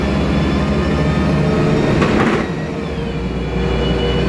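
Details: MAN Lion's Classic CNG city bus, MAN E2876 LUH03 EEV turbo engine, Voith DIWA 864.3 four-speed automatic, under way: steady engine drone with a faint siren-like whine riding over it; noisy Voith gearbox.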